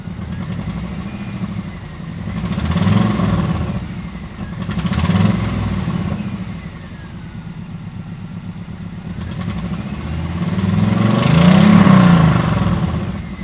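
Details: 1997 Subaru Outback with Speedyracer UEL headers, rest of exhaust stock: revving with sharp puffing tick on each exhaust pulse; exhaust leak from a header flange at the engine block not tightened properly.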